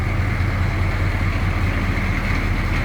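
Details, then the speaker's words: 1982 Chevrolet C10 Silverado 6.2 L diesel pickup recorded from the rear: deep, steady diesel clatter at an even idle with no missing beats or odd knocks; normal idle. "Gotta love that sound. Have any experience with these older diesels growing up?"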